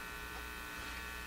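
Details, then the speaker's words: Canadian General Electric C67 tube radio: a steady, loud mains-type buzz of constant pitch with no program sound; suspected open grid in the audio stage, with the grid blocking capacitor under scrutiny; exact cause unknown. "So uh this buzz uh one of you commented that it sounds like an open grid. [music] And to me it sounds like an open grid too."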